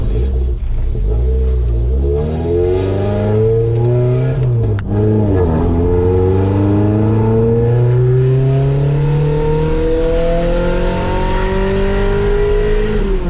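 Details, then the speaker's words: Honda-swapped Civic with very loud muffler, bucking on light throttle; loud booming drone climbing with revs around 3000 rpm with light metallic rattle, cause unconfirmed: exhaust rattle and drone. "alright so that was [ __ ] terrible this is the loudest exhaust in the world and I'm definitely hacking off that muffler"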